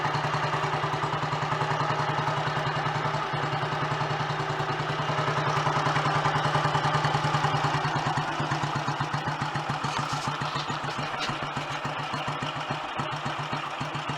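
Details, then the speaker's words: Royal Enfield Model G 350 after post-restoration fixes: slow, regular single-cylinder thump about three and a half beats a second, even and quiet with no clatter, not even mag-dyno gear train noise; healthy idle. "That sounds so much happier with life. I'm surprised it's that quiet actually, because the gear train up to the mag dynos can be quite noisy in themselves."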